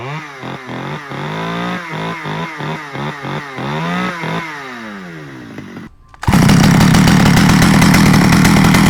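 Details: Stihl 009L chainsaw after new fuel lines and oiler fix: pull-cord cranks about four a second, then fires and holds a strong, steady two-stroke buzz; runs well.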